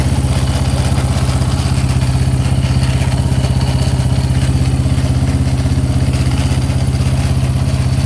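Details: Yamaha Raptor 700 single-cylinder engine, valves properly adjusted, unexplained engine rattle (owner wonders crank, rod or head); steady idle with fast, regular metallic rattle riding on every firing pulse.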